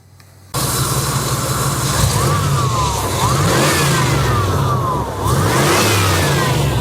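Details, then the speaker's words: 1988-95 GM OBS TBI V8 truck after replacing sensors for rough running, dying and idle hunting: it fires up and takes crisp revs with no stumble; the owner is unsure which part fixed it. "I'm not sure exactly what fixed it, but one of those things that I talked about earlier in the video seems to have fixed all my problems."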